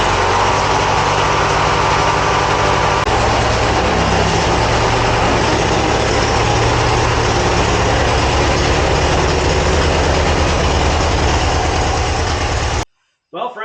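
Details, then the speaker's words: 1980 Craftsman Indy 500 garden tractor single-cylinder engine running again after the solenoid was replaced, steady idle thump, slightly uneven and smoking a little from old fuel; the carburetor is to be cleaned and fresh gas added. "as you can see we got the tractor back to running it's running great it does have some old fuel in it so it's smoking a little bit it doesn't want to run real well"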